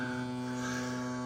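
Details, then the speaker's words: Crosley BC654a radio with a new, longer power cord: a steady low buzz and hum through the speaker; suspected shorted wire touching the frame at the connector or vibrator noise, unconfirmed. "but this thing's really buzzing too the uh it's coming through the speaker"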